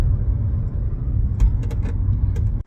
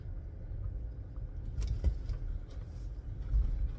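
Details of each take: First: 2017 Chevrolet Bolt driving: over low road rumble, short sharp creaks from the rear hatch latch area in the back of the vehicle. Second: 2017 Chevrolet Bolt driven after the rear hatch latch was opened, closed and worked: only a soft low road rumble over bumps, with no creak or tick from the rear. The rear creak was traced to the hatch latch, not the bump stops.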